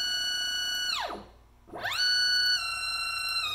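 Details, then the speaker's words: NEMA 24 5 A stepper on a CL57Y closed-loop driver lying on the bench, which acts as a resonator, pushed from 2500 to 2600 rpm at 2600 in/min. Tones climb high, then collapse into a falling whine: losing steps and position at overspeed. "it is freaked out so 2600 inches per minute with 2600 rpm it's not happy and you see our marks don't line up anymore we are losing steps"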